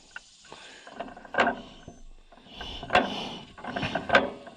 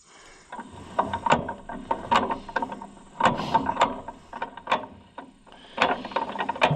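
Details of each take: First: 1936 John Deere A auction find, hand cranked on a revival attempt: magneto clicks with a faint spark snap about every other click, well over a second apart; weak magneto spark, slight signs of life. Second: 1936 John Deere A auction tractor rolled over by hand after timing adjustment: crisp ratcheting magneto impulse clicks in short bursts, snapping on time; magneto firing, possibly slightly weak.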